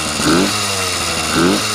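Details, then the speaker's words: Yamaha YD100 two-stroke with a hand-built Dio reed setup, first startup with a little choke and a restrictive pipe: buzzy, uneven idle surging about once a second then sagging back; still needs tuning, possibly lean, not confirmed. "it's really restricted and whatnot but guys it is running it started right up with a little bit of choke and it is it i it's idling it wasn't it still needs to be tuned you know like it still needs to be tuned"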